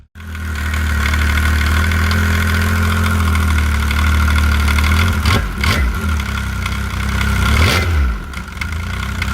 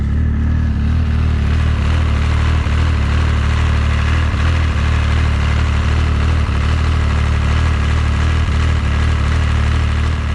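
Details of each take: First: Arctic Cat ZR7000 snowmobile, 1049cc Yamaha engine, original Arctic Cat primary clutch with worn arms, before rebuild: loud idle with heavy low drone and rattly clatter through two throttle blips. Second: Arctic Cat ZR7000 snowmobile, 1049cc Yamaha engine, with new CVTech Powerbloc 80 clutch replacing worn Arctic Cat clutch: steady low idle with even beat and faint regular ticks, no clutch rattle or chatter; quiet healthy idle.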